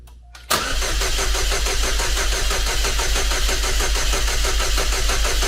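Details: Chevrolet Cobalt SS (LSJ supercharged, just reassembled) cranks at about three beats a second for five seconds without catching, jumper pack now connected at front jump point; owner suspects low battery and jumper pack cutting in and out, not confirmed.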